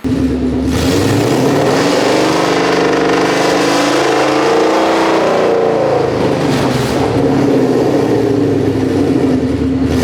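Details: Whipple-supercharged 1200hp S650 Mustang, started after a bolt check on the lift to see if last night's crazy noises had gone: engine revs up through a strong rising note and falls back smoothly, no knocks or rattles; running healthy.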